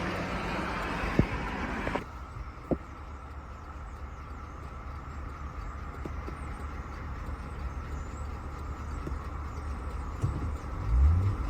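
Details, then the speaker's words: GMC Yukon XL 5.3L V8 with just over 150 on the clock, driven home 6 miles, heard from inside: steady low rod knock about four beats a second under engine drone, no warning lights. "Alright. I don't know where to put this, but oh, this thing's knocking bad. This thing is knocking so bad. Oh, it's knocking real bad."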